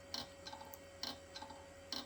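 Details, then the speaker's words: 10 GB hard drive in an IBM/Cyrix Socket 7 Windows 98 PC: sharp repeating clicks about every half second over faint hum, not detected; dead or half-dead drive clicking instead of spinning up. "that is not the sound you want let's try the old turn it upside down trick"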